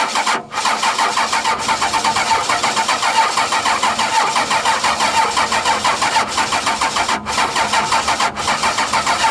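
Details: 12-valve Cummins diesel after nine years sitting, started with fuel shutoff valve pushed up by hand: steady even clatter, no misses or knocks; runs good, injection pump seems a little sticky.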